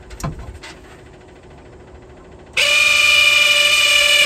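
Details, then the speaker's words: 1969 International Scout 800 heater blower motor, which began making a terrible noise on a drive, tested before oiling: a shrill, steady whining buzz from the dry bearing; noisy blower motor bearing. "doesn't sound great let's try a little penetrating oil"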